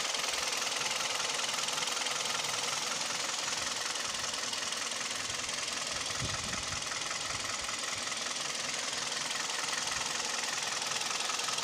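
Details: Kia/Hyundai G4KD Theta II petrol engine, recorded from inside the cabin: sharp, fairly regular light knock at idle, two or three taps a second, with vibration; owner suspects piston knock, also at 1500 rpm.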